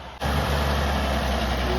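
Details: Restored 1929 Chevrolet International truck "Betty Bluebell", first start in a long time after refilling fluids, manual spark advance, choke and throttle: settles straight into a low, steady, even idle; sounds healthy.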